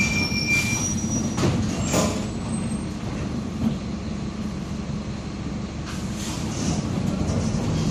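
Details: Onboard 2007 Torino bus on Mercedes-Benz OF-1722M chassis (Grande Londrina 4178) at speed: a steady low drone under the engine and road noise from a growling, worn differential.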